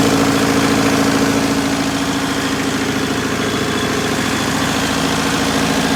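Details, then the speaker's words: Perkins four-cylinder diesel (4.152/153/154) in 1980–81 Bobcat 843, injectors reset to crack at 2200, electric fuel pump fitted: hard uneven chug around 200 beats a minute with shaking rumble; starts easily but runs rough, cause not found. "the engine now starts nice and easy and it runs it's just running rough"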